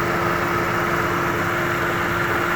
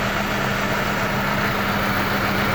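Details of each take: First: Mercedes W211 E200 petrol idling in neutral after repair: steady, even, smooth hum with no misfire; earlier severe misfire from water-damaged plugs and coils, fixed by cleaning coils and plugs. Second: Mercedes W211 E200 heavy misfire with whole engine shaking badly, worse in gear: rough, lumpy, stumbling idle from two dead cylinders; spark plugs and coils water-damaged, cleaned to fix.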